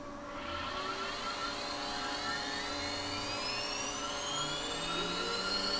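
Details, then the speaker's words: ATC spindle on an Omio X6 6040 CNC router with UCCNC UC300-ETH controller, commanded M3 to 24,000 rpm (400 Hz) via VFD over RS-232; VFD fan on. Smooth high whine climbs steadily to full speed, no roughness or grinding; healthy spindle. "so in the software and you see CNC we now have control so I don't know if you can hear the VFD fan having turned on let's try m3 as 2400 or 24,000"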